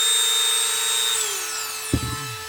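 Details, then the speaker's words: New battery-powered Ottman rotary tool for light duty, compared with an overhauled Dremel: clean high-pitched whine holds steady at high speed, then drops away smoothly as it spins down; goes a little faster; normal high-speed running. "And it's got sounds to be about the same speed that this one goes. Oh, this will go a little faster."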